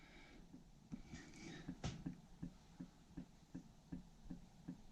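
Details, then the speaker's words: Soft irregular taps, two or three a second, in a quiet room, sounding like water dripping but actually the dryer vent flapper knocking as air shifts; the dryer vent hose was found detached from the dryer and is being replaced. "You can tell it sounds like water dripping, doesn't it?"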